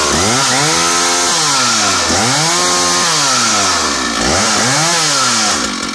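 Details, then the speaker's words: Stihl 056 AV Super (SEQ) 87cc vintage two-stroke chainsaw revving up and down cleanly with no stumble or misfire after a replacement used SEM ignition module cured the earlier missing; runs strong, normal. "and then the funny almost like a missing sangd has gone away and that's what it was it needed a new a new scent module so let me show you what she sounds like she's an amazing amazing engine"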